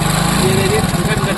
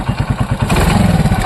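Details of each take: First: Hero Splendor single-cylinder motorcycle with timing chain noise and jerking on acceleration. A quick, light metallic "kit-kit" ticking sits over the idle and firms up on revs: a timing chain rattle. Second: Hero Splendor motorcycle after timing chain noise repair: engine picks up cleanly through several blips and settles back evenly, with no rattle or chain slap over the exhaust; the chain noise is gone and it runs sweetly.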